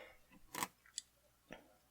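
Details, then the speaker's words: Electrotren NCB 0-6-0 steam tank model locomotive running slowly; sharp light clicks about every half second over near silence, a connecting rod set too close to another part catching as the wheels turn. "I think the con rods are getting caught on on there by looks of it you can see that on the camera I'm actually hear it clicking so that's not good at all did it again then"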